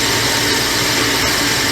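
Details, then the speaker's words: Lathe parting-off cut at 440 RPM, near 100 surface feet per minute, spring cut-off tool with light oil drip, under load: loud, even hiss and rumble with no screech; normal clean parting-off cut. "No screeching. Sometimes when the surface speed's a little fast on the outside, you'll hear a screech for a minute. Once the tool's under load, it goes away."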